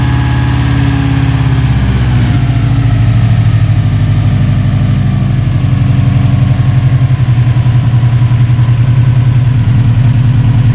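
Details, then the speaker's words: Subaru engine that earlier wouldn't idle and had a metallic knock up top, started with a boost pack: a deep, slightly lumpy idle holds steady through a brief rev, rough running with the airflow meter unplugged. "because in its current state, with the airflow disconnected, it will more or less run."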